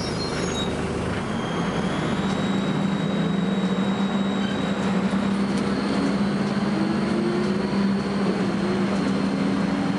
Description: First Manchester Volvo B10BLE, with a strange, high-pitched noise!